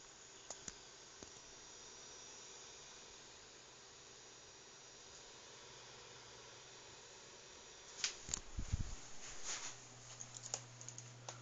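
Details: New Synology DS212 NAS in Quiet Mode under DSM 3.2: irregular sharp clicks over a quiet fan hiss and low hum from the slow-turning cooling fan; disappears in Cool Mode, persists with hard drives removed.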